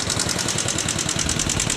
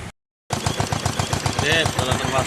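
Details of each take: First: Yamaha Jupiter MX motorcycle at idle, rocker arms already replaced but noise returned: sharp fast even valve-train ticking in time with the small single; cause being sought by disassembly, not yet confirmed. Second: Yamaha Jupiter MX after fixing the loud tek-tek top-end tapping that persisted despite new rocker arms, with super racing exhaust: fast, even exhaust pulses, loud open-pipe bark, no ticking; valve train quiet and healthy.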